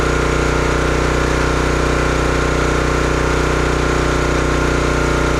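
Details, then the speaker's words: Brute 30-ton log splitter, Briggs & Stratton engine (9.5 ft-lb gross torque, roughly 5–6 hp), brought in as a no-start: steady, even single-cylinder drone while working through wood, no misses, stumbles or surging; running healthily. "But everything seemed to work good on it. It ran really good for a few chunks of wood,"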